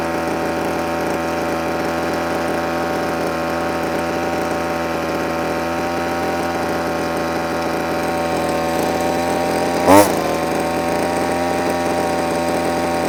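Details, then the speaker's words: Two-stroke line trimmer with cheap Amazon replacement carburetor, warmed up: steady even buzz at one pitch, no hunting or surging, idling a bit high before the idle screw is turned back; runs fine. "you know what [Music] there's nothing wrong with that that's good it's revving a bit High now it's warmed up sort of just a little item screw back"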